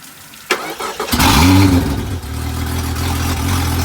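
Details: Honda 250 HP outboard on 21 ft boat, after fixing missing ground connection with jumper cable, restart in neutral: brief crank, catches and settles into steady even idle, no misfire or knock; healthy.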